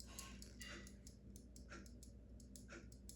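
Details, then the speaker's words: In-wall spring-wound mechanical ventilation fan timer, opened for repair after sticking on: faint quick ticking about four clicks a second over a low hum as the escapement runs down; normal timer clicking. "You can see that's what it's supposed to do. You can hear a little clicky click. That's the normal operation of it."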